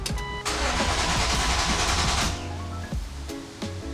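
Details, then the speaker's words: 1999 BMW E36 M3 with S52 engine, first crank after full head rebuild, new oil and filter and upgraded battery: brisk even cranking about two seconds, no grinding or clunks; sounds healthy while fuel primes. "Let it prime. Fuel cell needs to kick in. That sounded healthy though."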